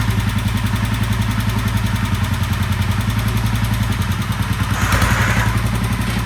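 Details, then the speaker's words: 1967 Sears Super 12 garden tractor with a swapped-in engine from stash, first start and drive after reassembly: uneven, lumpy putter about three to four beats a second with a ragged edge; engine runs rough but tractor moves, cause not yet known. "Doesn't sound pretty, but it does move. That's good."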